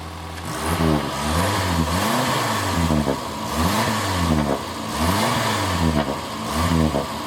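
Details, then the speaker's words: Morris Minor 1000 convertible with a rebuilt engine (new pistons, rings, seals), cold start on choke: small four-cylinder revs up and settles in smooth, even swells with no knocks or misses, then a lovely idle. "I love that noise. So mogy minor, isn't it?"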